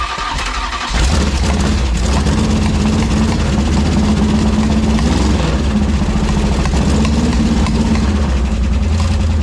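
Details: Ex-motorhome Mopar 440 V8 on a dolly with headers and transmission, gas in the bowls, just fired: rough, lumpy idle with intermittent pops; owner suspects ignition or electrical cause, unconfirmed.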